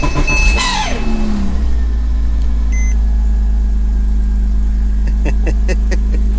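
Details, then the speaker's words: 2005 Porsche Boxster S 987 on its first start attempt with cracked coils wired on bare contacts. A brief crank, a quick catch, then a steady, even low idle. Normal totally cold start, with the exhaust only slightly starting to steam. "Now it's slightly starting to steam. That's normal for the totally cold start."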